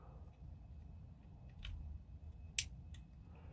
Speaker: Just going to check the anti-reversal latch to make sure that is still active and working. So to do that, we're just going to turn our gear and you can hear it clicking.